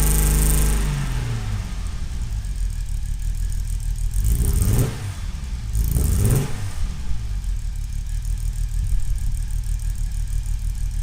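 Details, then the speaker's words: 1970 Mercedes-Benz 280SL pre-purchase inspection, second start, cold: six catches, idles lumpy and struggling for about 15 seconds, stumbles on throttle blips as it's not firing correctly, then steadier; misfire felt at idle, exhaust condensation seen. "I let it idle on its own for I think there's like 15 seconds or so and so you can hear how it kind of struggled a little bit"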